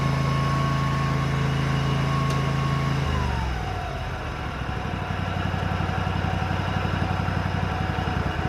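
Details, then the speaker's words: Bobcat Predator Pro zero-turn, Generac engine, after repair for losing power in tall grass, sharpened and balanced blades: steady note drops slightly as blades take load, then holds firm without bogging; healthy, believed fixed. "I was trying to make it bog down and I couldn't. Anyway, I think we got it fixed."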